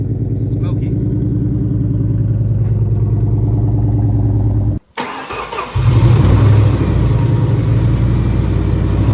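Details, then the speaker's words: Terminator Cobra V8 (iron block) runs lumpy and uneven with a shaky, off-rhythm pulse and sounds hurt; it is cut off then restarted. A passenger-bank cylinder is dead, and the top of a piston is missing. "oh Smokey you can hear it it sounds hurt"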